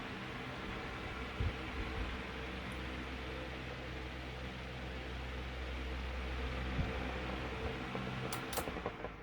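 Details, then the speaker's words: Room fan that spun too slowly and took long to reach speed, after oiling front and rear motor bearings, test run; soft steady hum and airy whoosh at constant speed, no grinding or squeal; running normally. "all right let's give her a test drive well super unsafe this way but it works real well"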